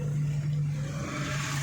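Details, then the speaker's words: Suzuki SX4 test drive on rocky off-road after suspension repair: steady engine drone and tire rumble with no clunks or creaks; suspension now quiet and sound. "Yan po okay Ayos na hindi na kumakalampag sir wala na yung mga malign wala ng kalampag wala ng langitngit goods na goods na yung sasakyan ni Sir"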